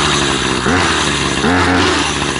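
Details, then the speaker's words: Troy-Bilt two-stroke string trimmer after dusting off its clogged air filter, revved hard once warmed up: steady buzz with throttle blips climbing cleanly without bogging or cutting out. "I just dust off the filter and then rev it real hard once I start it up and once it gets warmed up then you"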